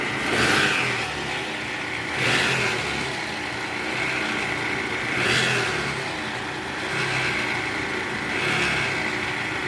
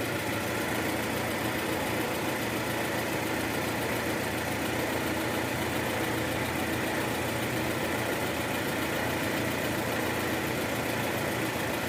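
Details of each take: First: 2013 Toyota Alphard with 2AZ-FE engine: harsh, rough rumble from the oil pan area that surges every few seconds; balancer shaft found disintegrated and replaced. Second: 2013 Toyota Alphard, 2AZ-FE engine, heard with a stethoscope after replacing the destroyed balancer shaft whose gear had failed: smooth, even idle, no rough rattle or knock; earlier roughness confirmed as the balancer shaft; normal idle.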